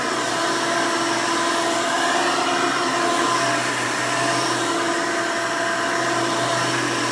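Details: 1992 Hoover Elite II Total System Performance 650 upright vacuum (U4689-910), motor needed no work since purchase, running: loud but smooth, even motor roar with steady hum, no rattles or surging; motor sounds healthy.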